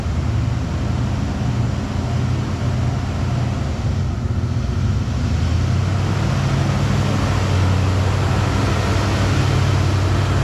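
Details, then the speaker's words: Ford Bronco with fuel-injected 302 V8, 4-speed, many parts replaced; deep, smooth, steady low rumble with no ticking or puffing, quiet with no exhaust leaks, runs like a sewing machine; normal idle. "Bunch of stuff's been replaced on this thing, but as you can hear, it runs like a sewing machine. Like, this thing is so quiet, no exhaust leaks."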